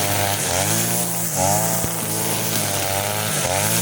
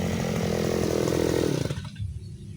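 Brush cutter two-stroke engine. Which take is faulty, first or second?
second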